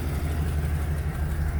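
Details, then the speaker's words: 2005 Chevy Express 2500 6.0 V8 after new starter replacing bad one (slow crank with new battery): steady, smooth low rumble, even beat, no knocks, misses or ticks; normal idle. "car is already running that's the way it should sound okay so that's the way it should sound fine"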